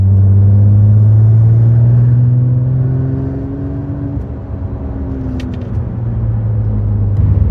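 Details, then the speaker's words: 23-year-old Porsche 996 Turbo, 150,000 miles, cabin while driving after tightening a loose headliner/sunroof panel screw: steady engine drone rising and easing with throttle, no buzz or tapping from the roof lining; headliner rattle gone. "I'm not going to pretend that this thing has no squeaks and rattles cuz it's a 23y old car so far of course it does but the rattle in the headliner is gone much better"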